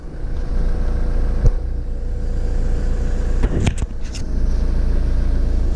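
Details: 2003 Ford Transit school-bus conversion campervan, freshly fully serviced: brief start, then a deep, even diesel rumble settles in without knocks or misses; a healthy start and steady idle.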